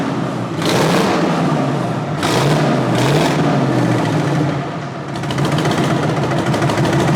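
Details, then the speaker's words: 1963 Peterbilt with an 8V71 Detroit two-stroke diesel, first start in a long while with no radiator fitted: a deep, even growl that picks up cleanly on each throttle blip with no knocks or misses. The engine runs healthy. "Well, she runs. Sounds good too. Yeah. It's not as loud as I thought it was gonna be."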